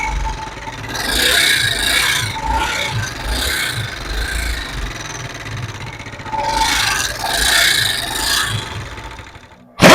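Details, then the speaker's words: Honda CD70 motorcycle engine: harsh rasping grind swells in two long bursts over a weak engine note, serious internal damage from failed timing chain with damaged oil pump gear. "जैसे की आप देख सकते हैं खतरनाक आवाज़ ए रही थी ये आवाज एक क्यों आई है किस वजह से आई है"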